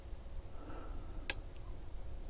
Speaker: Relay 1 just clicked. And it did pop up, I don't know if you saw it on camera there, but it did pop up and off.